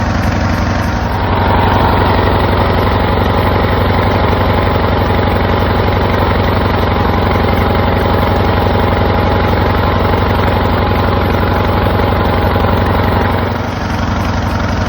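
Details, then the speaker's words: Craftsman LTS 2000 19.5 hp riding lawn mower after carburetor and belt change: single-cylinder engine holds one fast, steady drone with even pulses, never dropping back; stuck running at high speed. "but it's only running at one Speed high speed so I need to get that check"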